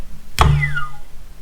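Two hand flicks, each giving a clean whir that falls smoothly in pitch as it coasts down, no grinding or rasp; bearings fine.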